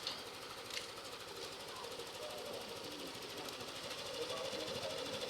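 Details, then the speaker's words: Yamaha Aerox scooter revved to check its repaired original cam chain tensioner: held at a raised steady speed with a light even buzz, no ticking or rattle from the timing chain; running healthy. "So revolution natin para medyo gumalaw-galaw naman yung tensioner para ma-observe natin kung okay"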